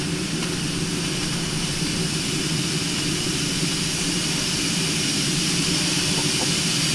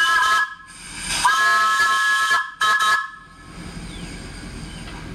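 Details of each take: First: New vertical test boiler, pressure above 140 psi, main safety valve set around 150: loud continuous steady roaring hiss as the main valve lifts fully and blows off steam. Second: New vertical test boiler during first firing: loud chord-like whistle blasts in short bursts, then a lingering hiss from the leaking whistle valve.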